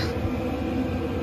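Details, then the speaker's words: 5 kW Chinese diesel heater in underslung stainless box under Mercedes Vario minibus, rubber-damped fuel pump: steady, even low rumble and soft hiss with no ticking or surging; normal quiet heater operation. "it running now [Music] it's quite quiet"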